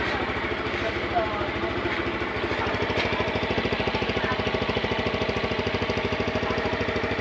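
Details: Yamaha Mio Sporty scooter that had suddenly died and would not start, running again after spark plug and ignition checks: small engine putters at an even, steady idle with no misses or knocks.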